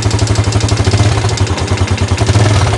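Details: Yamaha Jupiter Z1 with complaint of rough engine noise and top speed only 60-80, after disassembly check and reassembly: harsh, lumpy idle with heavy mechanical clatter over low thump; running rough, cause not yet found.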